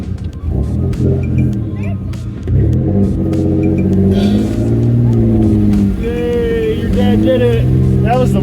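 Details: 1998 Isuzu Trooper, 3.5 6VE1 V6 with Alpine/Eaton M62 supercharger, restarted after stalling in a deep mud puddle (mass air flow sensor came undone), tailpipe underwater; engine revs cleanly and powers out under load, no stumble, running normally.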